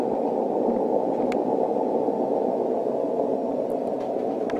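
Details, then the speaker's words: 160 m receiver: loud steady rushing hiss while a rotator is plugged into power, disappearing when unplugged; interference from the rotator power that clip-on toroids were then tried on to remove. "got a lot of noises to get rid of here before I can hear really well on 160"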